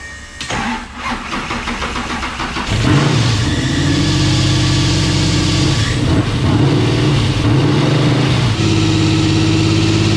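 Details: Camaro with a 10.3L (632 ci) supercharged big block: after the crank and catch, the idle swells and dips every few seconds as the air/fuel ratio swings from about 9.0 rich to 14.8 lean, a rich-lean idle surge.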